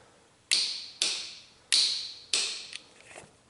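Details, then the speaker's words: 1995 Honda Fourtrax ATV with no-start; solenoid jumped directly with power and ground: four crisp clicks as solenoid closes but starter never spins, 13 V on input side, none on starter side; faulty starter solenoid. "Well, it's closing the solenoid. You can hear it close, but we're not getting any power. We're not getting any starting action."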